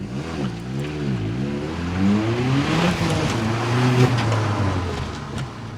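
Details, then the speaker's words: Audi S3 from auction on test drive after fresh spark plugs and intake hose redirected onto turbo with no leakage: strong clean pull, note climbing smoothly through the revs with no stumble or miss; feels faster. "Definitely feels fast already. Now the reason I say it feels a little faster is more than likely because the intake hose is now directed right onto the turbo."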